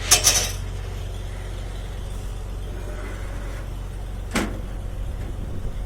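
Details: 125 mixer/mill running after a fan blade fix: low, even hum with hardly any vibration and no rattle or hammering, only a few nearby handling clunks; now running smoothly.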